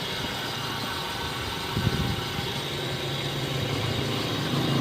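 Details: Toyota Wigo that suddenly would not start, running after a jump start: quiet, even idle under background noise, no stumbling or knocking; engine idling normally.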